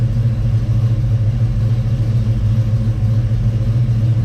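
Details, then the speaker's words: Chevy Nova with a 327 small-block V8, warmed up and idling slightly high at about 1000–1100 rpm. A deep, steady rumble with an even low pulse and no knocks or misses: normal idle. "so maybe it is fixed uh i mean we are idling kind of highs now they're warmed up we're about 1100"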